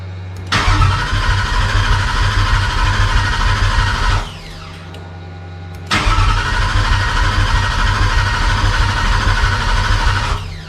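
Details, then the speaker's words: Cobra Daytona replica, new Aluminator engine first start, fuel pressure a little over 60: starter churns about four seconds, pauses, cranks again before firing; oil pressure good, likely still getting fuel in. "oh she didn't want to start i got oil pressure which is good oh here it goes we're about ready to fire it off"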